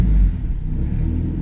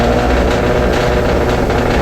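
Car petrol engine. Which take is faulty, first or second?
second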